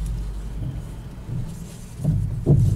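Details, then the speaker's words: Renault Megane front end: low rumble then dull clunks when the steering is turned left and right; found to be a faulty front strut top mount bearing. "الصوت عندما ندور يمين ويسار الفولون، نسمعوه مليح. عندما ندور الفولون يمين ويسار نسمعوه فيه."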